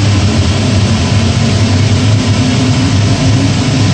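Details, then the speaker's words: Power gas steam boiler burner on a ganged flue with a newly installed 24-inch barometric draft regulator: ignition, then ramp-up to a deep, steady roar with no pulsing, rumbling or flutter; stable high fire. "uh you should hear the uh tropper ignition and the boiler ramp up and there we go"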